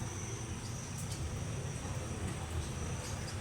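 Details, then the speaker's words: Stand electric fan that won't spin: switched on, the motor gives a steady low mains hum and vibration with no rising whir of blades, powered but stalled. "so i-on natin so meron siyang Ugong mga kuds hindi siya hindi lang siya malakas meron siyang Ugong hindi dapat"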